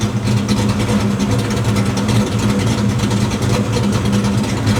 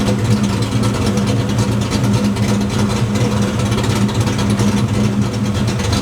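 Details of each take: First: Ford Fox body V8 with stepper idle valve conversion, during idle tuning with timing correction restored: deep, even idle with steady beat, no hunting or dipping to the 600s; idle holds target tightly. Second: Fox-body Ford V8 with a stepper idle valve conversion and the idle timing correction set to zero: lumpy, choppy idle that dips into the 600s rpm and recovers; idle speed hunting off target.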